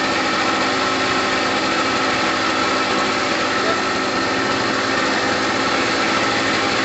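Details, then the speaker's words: Gilera DNA 125 two-stroke holding a steady, buzzy idle with no hunting or misses, after a new fuel line; petrol is red with plenty of two-stroke oil premix. Normal idle. "all right guys that sounds amazing i've got a lot of two-stroke oil in there the petrol is literally red"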